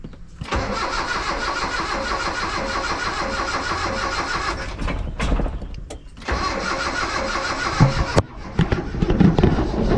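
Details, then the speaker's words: Mitsubishi L200 with EFI conversion, fuel pump running: starter cranks steadily for several seconds without catching, and repeated tries won't fire; owner thinks the distributor was rotated the wrong way, giving incorrect ignition timing. "Maybe I rotated the dizzy the wrong way. Think I turned the dizzy the wrong way."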